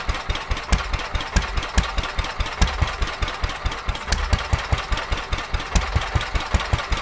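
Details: Petter A11 (A1 series 2) vintage single-cylinder stationary engine, owned 12-13 years, stored damp in a container for four years, first run after revival: slow, uneven firing thumps about once a second with ragged gaps, running rough; owner suspects fuel starvation from dirt in the carburetor.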